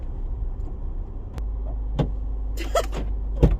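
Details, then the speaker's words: 2010 Land Rover Freelander 2 XS with lift kit and A/T tyres, green-laning at the start of a byway; deep low rumble with a few uneven heavy knocks while pulling away at very low revs; the engine is lugging, not a fault. "why is the car making that noise then the car's gone broken should we be concerned"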